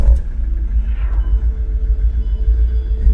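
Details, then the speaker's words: 2015 Mahindra XUV500 W10 diesel, push-button start after sitting three months unused; deep even diesel rumble right after firing, no misses or knocking; starts and idles cleanly. "Start engine start ஆயிடுச்சு. சவுண்ட பாத்தீங்களா"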